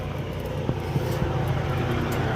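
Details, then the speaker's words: Freightliner Cascadia DD15 diesel at idle (SPN 5571 FMI 7, SPN 157 FMI 18): loud rough rumble with irregular hard knocks. Fuel control valve stuck open sends excess high-pressure fuel. Fix: replace the valve, pump replacement recommended. "Eh, pero como el motor está en mínima, hace mucho ruido porque no hay manera que pueda consumir esa gran cantidad de combustible que está siendo inyectada. Entonces, hace ese ruido extraño del motor."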